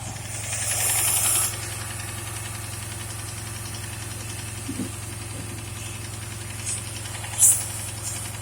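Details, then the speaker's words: 2008 Dodge Charger AWD with a vacuum leak code, after tube seal and putty on the leak: petrol engine idling unevenly with an irregular shake and knock over a low hum, plus clicking or ticking; rough running. "so i try to do the tube seal no go there's this little putty stuff and when i put it here as you notice the car just acted real funny"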